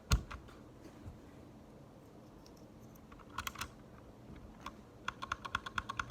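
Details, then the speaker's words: Unlubed Gateron Red linear mechanical keyboard switch, compared against one lubed with Krytox 205 G0: a run of sharp, bright keystroke clicks with a springy rattle, much clickier than the lubed switch. "Oh yeah, it's definitely much more clicky unlubed."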